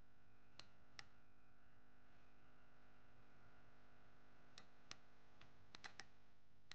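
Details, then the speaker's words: Mazda 3 with codes P2009/P2004: a brand-new intake solenoid bench-tested with a jumper wire gives crisp, clean clicks at uneven intervals, confirming it switches properly before the vacuum test. "So now that we've confirmed that the new solenoids do work, they do click at least, another test you could do is the vacuum test."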